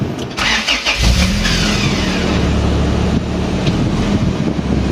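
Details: Honda Accord with F22B engine, after repair of shorted wiring, ECU power feed, fuel pump and main relay circuits: starter cranks briefly, engine catches and settles to a steady even idle; now starts and runs normally.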